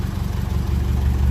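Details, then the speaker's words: 1957 Ferguson 35 tractor, TVO engine, cold start after push rod problem was sorted: deep, steady low chug with no knocks, misses or rattles, sounding like a very happy engine; normal idle. "so it really does sound good it really sounds good in there it like I said at the end of the last video but it stays making that sort of Music it sounds like a very Happy Engine"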